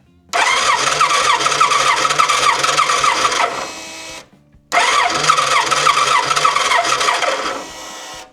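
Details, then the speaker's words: Early Victory motorcycle V-twin after fitting an aftermarket Walbro-type fuel pump: pump and return flow audible, two bursts of steady starter cranking of a few seconds each, never fires; fuel pressure (needs 50 psi) still to be checked. "You can hear the fuel pump, you can hear the return line into the tank, but it's not gonna start."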